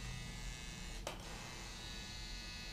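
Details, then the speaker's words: Helios rotary tattoo pen running at 9 volts without a needle. A soft, fine, even buzz with no rattle or pitch wobble; quieter and smoother than a Cheyenne PEN, sounding healthy. "очень тихо тише чем shahin даже не то что даже вот но на звук как то знаете ну плотнее бы потому что"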